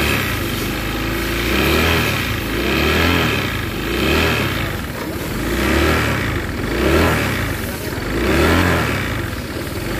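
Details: New 2023 Honda Vario 160 scooter, recently bought: engine revved up and down in repeated swells with a coarse, uneven rather than smooth note; rough engine noise, cause not confirmed.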